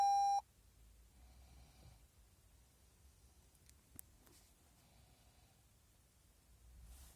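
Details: 2019 Toyota C-HR that won't start, showing brake power low, brake override and drive-start control malfunction messages with no low-battery light; one short sharp electronic beep, then near silence: warning chime from a battery flattened by unlocking the vehicle.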